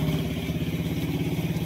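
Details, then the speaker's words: Honda Wave 125 after crankshaft replacement for a failed connecting rod that had caused a grinding-like noise. It now has a quick, even putter at idle with no rod knock or clatter, running quietly. Normal idle. "So ayan na umandar na oh. Tahimik."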